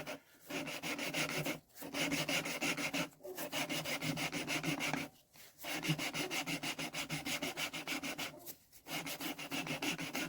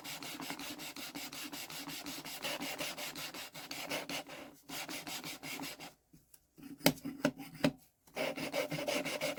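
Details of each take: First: Deutz engine cylinder head, removed over no compression; lapping a valve with fine paste after coarse; gritty back-and-forth strokes with brief pauses; paste is barely biting anymore, so the seat is nearly done and later shows a continuous line. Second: Deutz cylinder head being hand-lapped, valve ground against its seat. Steady back-and-forth rasping strokes, two or three a second, now smooth and dull as the lapping paste has worn out and stopped cutting.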